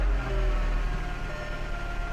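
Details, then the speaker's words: VW 2.0L (98-05 Jetta/Beetle/GTI/Golf) after proper timing belt replacement and tension, first start with engine mount disconnected: smooth even low idle, no ticking, slapping or rattle; earlier engine noise gone, check engine light off, normal idle. "I can guarantee you that that engine noise is going to be gone let's see oh that sounds good"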